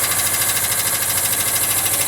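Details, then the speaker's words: 1979 Volkswagen Westfalia flat-four, cold start after sitting, running rich: fast, light ticking over a steady cold idle from hydraulic lifters still pumping up with oil, quieting down as it runs. "all right while the lifters are quieted down quite a bit already"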